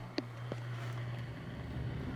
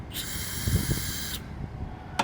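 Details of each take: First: Old York HVAC unit, thermostat switched on: a steady low hum runs evenly with no rattle or scraping as the blower fan starts and runs smoothly; normal fan operation. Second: Old York heat pump outdoor unit, hose purged at the service port: a brief thin hiss that stops after about a second, far too little pressure; gauge later reads -8, so the refrigerant charge is low.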